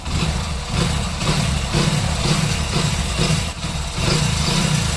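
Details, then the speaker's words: Single-cylinder motorcycle idles with a steady, even beat and no hunting or creeping revs. The high, self-racing idle was fixed by adjusting play in the accelerator wire; heard after repair. "तो देख सकते हैं दोस्तों बिल्कुल normal sound सुनिए"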